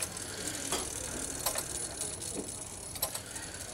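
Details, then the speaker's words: Roughly 400-year-old chain-driven clock being repaired, run with the lighter weight: light clicks and a brief whirr from the striking train at an unhurried pace, so the strike runs at proper speed. "quite good speed of a of the strike now I've just got to see whether it actually drives the ticking part the actual clock part of the clock"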